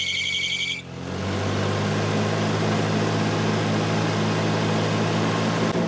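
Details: Volvo 240 after timing belt replacement, first run and warming up: a short chime, then a smooth even idle with a steady low drone and no ticking or puffing; normal idle.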